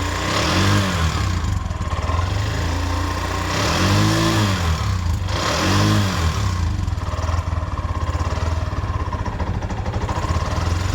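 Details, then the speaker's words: Bajaj 205cc engine rebuilt with new head, bore and shaft: hot, uneven hunting idle surging every couple of seconds with light top-end ticking; tappet noise from the head plus a carburettor problem causing unstable idle. "Sound heat ಆಗ್ತಾ ಟಿಕಿ ಟಿಕಿ ಟಿಕಿ ಟಿಕಿ ಅನ್ನತ್ತೆ ನೋಡಿ."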